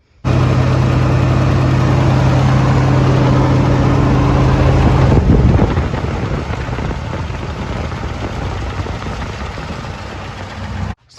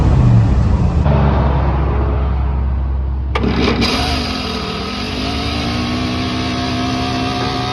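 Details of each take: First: Engine starts, then settles into a steady, even drone that eases off after a few seconds; runs cleanly with no misfire or stumble. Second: Truck engine starts, then settles into a steady idle with a faint light rattle on top, possibly a loose part.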